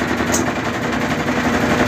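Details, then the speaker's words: Brastemp/Consul BWG 11 kg washer during spin: fast, relentless machine-gun hammering throughout; basket out of balance, suspected failed balancing ring. "É uma máquina que faz muito barulho, qualquer coisinha ela fica desbalanceada e causa esse barulho aí."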